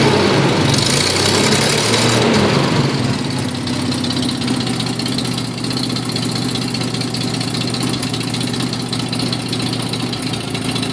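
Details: Nissan Z31 idling on a cold morning: loud, raspy, choppy lopey idle with puffing ticks at each firing; timing belt off by one tooth causing the cammed lope, exhaust leaks from broken head stud, cracked manifold and broken crossover-pipe stud.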